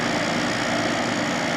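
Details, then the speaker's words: December 1995 Carrier VisionAire 6050 BTU 6 A A/C, rear fan freshly oiled, just started and not yet cooling: constant even compressor buzz and hum, no knocks, clicks or pitch changes; normal compressor running. "fan in the back seems happier now that it's oiled certainly does pressure's just buzzing along doing its thing"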